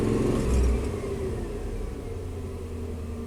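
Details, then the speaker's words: Chevy 3500 dually GM truck after battery replacement and throttle body cleaning, idle at about 640 RPM; even, low, steady rumble without hunting or misses, a healthy idle after the fix. "Eight. 640 RPM. So now that's a fix. Battery replacement and throttle body cleaning."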